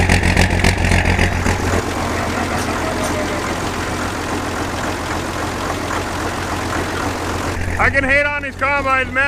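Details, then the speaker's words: Massey Ferguson 860 combine, Perkins 354 six-cylinder turbo diesel, first run after six years once fuel reached injectors: settles into steady even clatter with no stumbling or missing; normal healthy running. "I love the way they sound all right honestly I really hate these combines for multiple multiple reasons but man they sound good I love that Perkins Perkins power"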